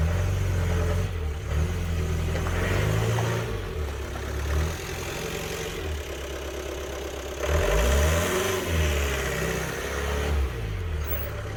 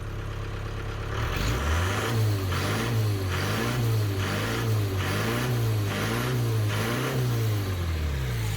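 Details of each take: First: 1993 Ford Transit camper with a 2.5 litre diesel, with no power and heavy black exhaust smoke. The diesel labours with low, rising and falling revs and no real pull as it reverses and moves forward. Loss of power. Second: 1993 Ford Transit camper van diesel with power loss and heavy black smoke, EGR valve blanked off with a plate: revs up cleanly in repeated blips, rising and falling smoothly with no hesitation; revs more freely now.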